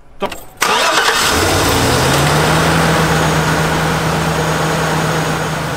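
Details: Car started with a Foxpeed 2500A portable jump starter, car battery disconnected: short crank, catches first try, then a steady, even idle with no misses or knocks.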